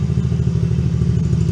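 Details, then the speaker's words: Coolster 110cc Chinese youth ATV after carburetor, air filter and fuel filter replacement; it previously died once warm with no throttle response. Now runs with an even, steady low putter, holds idle, no stumbling; healthy. "Give it a little throttle, make sure it's not going to die. Look at that. Heck yeah."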